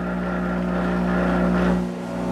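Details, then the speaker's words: Monarch 10EE lathe with tube module drive, warmed up: steady motor drone that sags briefly when the spindle is squeezed by hand, then recovers as the compensation circuit holds speed; normal regulation. "now i'm going to put my hand on this and i'm going to squeeze i'm going to try to slow that down and you'll hear the compensation circuit kick in"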